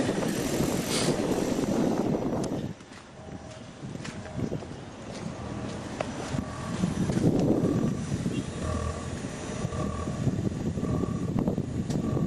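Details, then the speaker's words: New 2022 Ford Maverick Hybrid idling with climate control just turned off: idle swells and sags in slow waves without throttle input, milder than before; rotten-egg smell, owner suspects catalytic converter, cause unknown. "Now it's still doing the revving, but not as hard. Clearly still hear it."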